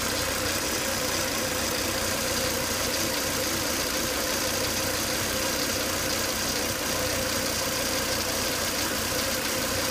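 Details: Volvo S80 2.5T engine after 10 to 20 minutes running: loud steady hiss and whine over a smooth unchanging idle; high vacuum sucking hard at the oil cap from failed crankcase breather box, fixed by replacing breather box/filter.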